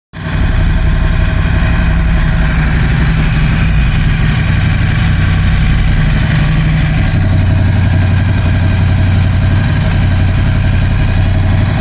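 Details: Ducati Scrambler 1100 at idle after replacing the horizontal cylinder and piston: lumpy V-twin idle with an uneven, loose knock about four per second; suspected piston slap, not confirmed.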